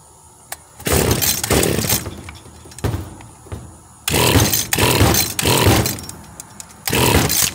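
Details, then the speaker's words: Stihl FS 76 brushcutter, probably over 20 years old, cold-start test with switch on: seven or so sharp rope pulls, each a short rasp dying at once, never catching; diagnosed bad carburetor, fuel tank cracked and needs replacing. "concluido no se hable más carburador carburador malo y el tanque de la gasolina está reventado se necesita tanque nuevo"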